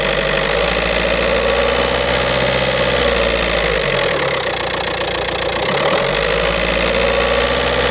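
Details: 2007 VW Golf Trendline 1.9 TDI diesel (BLS, 77 kW/105 PS, 240,050 km) idling: loose, irregular metallic rattle over the diesel clatter, shifting as revs dip, from a defective dual-mass flywheel.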